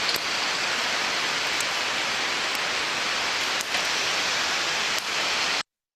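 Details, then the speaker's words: Slow rolling-element bearing (under 200 rpm) heard through an ultrasonic inspection: steady rushing hiss with faint irregular clicks; a 1 dB condition change revealed small nicks and scratches on the race or rolling elements. "Ya hemos detectado esas pequeñas mellas, esos pequeños arañazos en la pista o en las partes rodantes, que ya hace que cambie esa condición en este caso en particular, ¿vale?"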